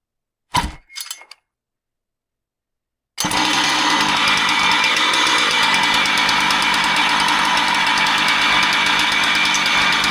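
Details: Husqvarna 130 chainsaw with customer-reported noise: steady high buzz with rapid regular pulsing near four beats a second; starter removed while running ruled out as the source, cause not yet confirmed.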